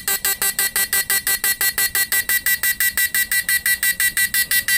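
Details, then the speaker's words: Repaired PDC 4-FET mini stun inverter with replaced PWM, under load, flip-flop capacitor changed to 50 V 10 µF electrolytic: even clean high buzzing pulses about three per second; normal slow flip-flop mode. "ini sudah diganti dengan yang Elco 50 volt 10 UF jadi kedipannya jadi kayak gini ya lambat"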